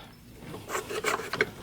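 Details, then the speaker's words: 1991 Mercedes-Benz 300SL (R129) with a horrible knocking and grinding traced to the alternator: with the belt off, the hand-turned alternator pulley gives a dry rasping scrape with irregular clicks. The pulley is loose on the shaft and the fan also appears unattached; the bearings are fine. "It's actually the pulley, so listen to this. The pulley on the front is not attached to the alternator, so it just needs to be tightened, I think."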